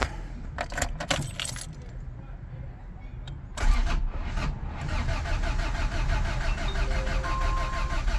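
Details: Honda EF Civic sedan after timing belt work, new distributor, new spark plugs and freshly charged battery, fuel pump off; after keys rattle, starter churns steadily about four beats a second and never fires, consistent with cam timing off.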